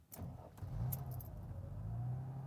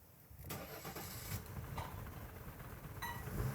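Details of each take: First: 1991 Mercedes 300TE 24V whose owner suspects the EHA valve causes trouble starting on the first try: keys rattle, a short crank, and the engine fires at once into a quiet, even idle; a clean first-try start. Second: 1991 Mercedes 300TE 24V (S124) with test EHA valve fitted, air filter off; starter cranks, engine catches in uneven stumbling bursts then settles to shaky idle: rough, unclean start, cause unknown.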